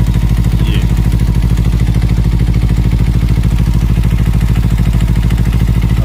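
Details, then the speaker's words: Kawasaki Ninja 300 at idle: fast light ticking about three per second from the top end; cam chain tensioner, noise changes when its 10 mm bolt is loosened and stops when tightened. "यहां से आवाज आ रहा है ये जो टिक टिक टिक आवाज आ रहा है ना"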